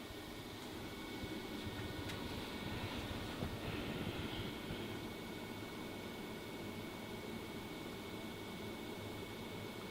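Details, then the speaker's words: Fantastic Fan roof vent fan on its lowest setting: soft, steady airy hum with a faint even tone, no rattles or ticking; runs quietly and smoothly. "it's doing its job not too noisy either"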